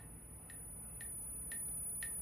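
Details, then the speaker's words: Motor test auto-identifying a new sensored Flipsky motor on a Ferrari go-kart powertrain: faint sharp ticks about twice a second as the controller pulses and spins the motor; normal identification run, earlier tool failed to detect sensors. "if I just click okay what it does is it Otto identifies the motor so it makes some funny noises and it spins"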